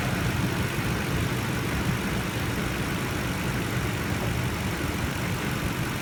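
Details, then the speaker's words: Toyota Tundra TRD V8 at idle after replacing Mobil 1 synthetic with Toyota synthetic motor oil: smooth even low rumble, no ticking; normal idle, ticking resolved. "so that pretty much took care of the ticking noise and uh if you guys are having a problem with ticking you might want to give that a shot"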